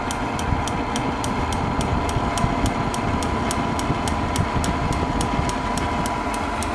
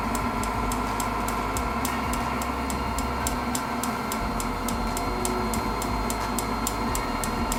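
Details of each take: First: Propane shop heater modified with a fan dimmer and propane regulator, running at turned-down gas: steady burner roar with the piezo igniter ticking about three times a second, now clicking continuously while the heater runs normally. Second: Propane heater modified with a fan dimmer and propane regulator: even piezo igniter ticks about three a second over a steady fan-and-burner roar; the piezo now sparks continuously.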